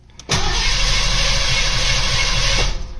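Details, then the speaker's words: Mustang after winter storage, new spark plugs, cylinders fogged with oil, coil wire off: strong even cranking at a brisk steady pace without firing while oil pressure builds; starter turns engine healthily. "but all right well it cranks really good which I'm happy about"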